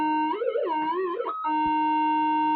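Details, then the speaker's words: Modified Minelab GPZ-7000 metal detector indoors, conductive mesh removed from coil: wavering warbling tone drifting up and down, then a steady whine; electrical interference jamming the coil. "to see if I could uh you know stop it making all that horrible noise and uh it's basically um jamming it up electrically"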